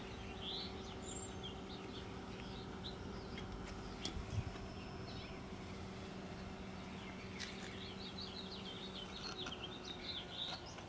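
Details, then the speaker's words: Early-1960s General Electric M5 black-and-white portable TV on startup test at 90 V: thin, steady, very high-pitched whine jumping in pitch as horizontal hold is turned; horizontal oscillator running, no high voltage yet. "So it looks like the oscillator is running. Let me see if I can prove that. Where is my horizontal hold? Okay, this is horizontal hold. Let me turn this. And I can hear it."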